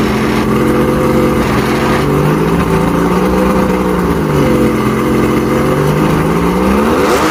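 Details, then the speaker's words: Mercury inline outboard after a no-spark repair with a new stator, first crank: smooth, even note rising and falling with the throttle, no misses or knocks; runs cleanly, though water pumping is weak and the impeller needs replacing. "foreign doesn't get better than that nope yep first crank fired right up did it run good"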